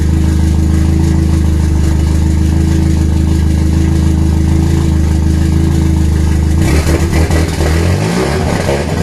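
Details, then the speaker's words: RWD turbo Nissan Micra (K10) first start after fixing leaking injector seal: loud, deep, lumpy tractor-like idle rising briefly with throttle blip; rough idle, cause not confirmed, no lambda sensor fitted at first. "this thing sounds like a tractor those it's got those silences but give me two seconds"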